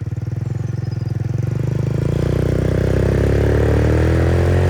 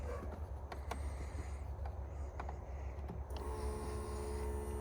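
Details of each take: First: MotoBravo Roma150 scooter-engined motorcycle at 1,098 miles, running much better, on a ride: steady single-cylinder beat climbing smoothly as revs rise, no misses, knocks or rattles; running clean and healthy. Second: Free Roma150 scooter-motorcycle hybrid (MotoBravo), no known history, with a battery hooked up and key on: after a few clicks a steady electric hum starts and keeps running without stopping, the fuel pump running continuously.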